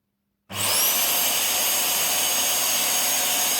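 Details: Rowenta Silence Force Compact vacuum after replacing the original motor, which had started backfiring, with an RS-RT 35 30 motor: on reassembly test it spins up to a steady high whoosh within half a second, holding speed evenly with no sputter; normal run.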